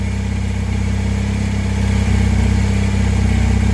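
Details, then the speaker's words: 1984 Honda CB450SC twin after carb cleaning, new parts and synchronization with a homemade gauge whose two readings stay together. Steady, even idle pulsing about four times a second with no misses; both cylinders even; normal idle. "so that's exactly right so now they're synchronized"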